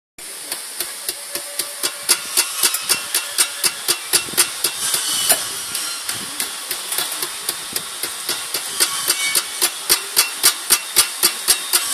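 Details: Pumaspeed muffler: sharp, regular, high, tinny metallic ticks about four a second with no engine rumble, like a rattle or tick inside the muffler.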